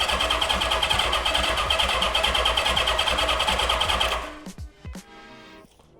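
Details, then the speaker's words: 1976 Honda CB550 barn find with 6,738 original miles, sitting for decades: steady even cranking at about three turns per second for four seconds that never catches; crank, no start, no spark. "All right. We didn't get any. We didn't get any."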